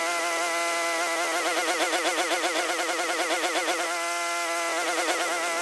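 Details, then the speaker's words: Free curbside Troy-Bilt TB240 self-propelled mower with a Honda engine, after a carburetor clean, warm and at full throttle without choke: the single-cylinder engine hunts up and down about four times a second. It runs well only on choke; owner suspects the carb is still dirty and running lean. Surging. "I'm thinking that the carburetor is still dirty because it cannot run on full run like that too much air too much is mixing with the fuel so means the carburetor still work"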